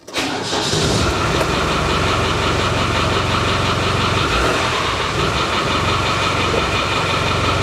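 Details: Land Rover 300TDI diesel after sump pan reseal, new oil filter and oil change: cranks and catches at once, settles to steady even idle clatter with no knocks or misses; healthy.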